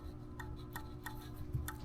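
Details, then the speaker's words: SSR110 pit bike engine turned slowly by hand: sharp light ticks about three a second from the exhaust valve, lash at least 1/8 inch out, explaining idle-only running with no power. "and then like I started reading Forum after forum and it said check your exhaust they said that they uh the nut backed off"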